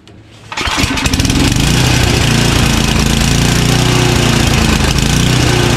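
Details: Craftsman 29" snow blower, 9HP Tecumseh single-cylinder, after cleaning the clogged carburetor pilot jet: short start-up, then even steady idle at bottom of idle with no hunting or surging; fixed.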